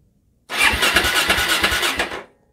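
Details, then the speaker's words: Free barn-find Suzuki DRZ400/KLX400 single cranking about two seconds with even compression pulses and no fire: cranking sounds fine, and the owner expects a carburetor overhaul is needed. Normal cranking. "um it sounds absolutely fine so this thing is probably going to have to have a carburetor overhaul"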